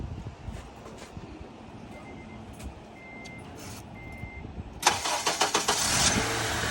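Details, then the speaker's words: Honda Element after swap to a K24A engine (old engine ruined by Blue Devil head gasket sealer): three chimes, short crank, catches and settles into an even idle; clean start. "It is like butter. She is. Woohoo! Oh yeah. Super clean."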